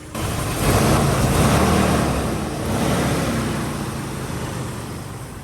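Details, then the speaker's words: 2001 Jeep Wrangler after a completed engine swap, AC recharged, no dash warning lights: steady low idle with an even beat, no misses or knocks, running smoothly; normal idle. "here it is running smooth as a as uh as I don't know"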